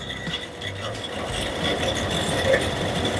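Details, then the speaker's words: Carrier 1.5-ton (18,000 BTU) window AC fan motor on medium speed, before repair: a steady hum with a rough, scratchy whir and high whine. The abnormal noise is caused by defective fan motor bearings, later replaced. "You can hear the noise. It's very bad noise coming from the fan motor."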